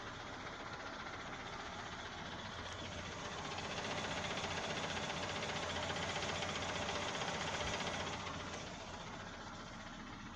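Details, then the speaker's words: Nissan Almera N16 with new original Valeo clutch: steady idle with an even knock about four times a second, mistaken for engine knock; it disappears after pressing and slowly releasing the clutch. Cause is the clutch disc, its damper springs loose. "Думал, что движок застучал. На самом деле стучит сцепление, диск сцепления."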